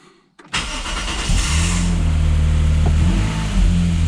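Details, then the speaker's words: Lexus IS200 after repairing a cylinder 1 misfire (code P0301): starter catches at once and the engine settles into a smooth even idle, no stumble or shudder, no warning light; all six cylinders firing, normal start and idle. "absolutely perfect jobs are good no light all six cylinders firing again no shuddery wobbly all sorted"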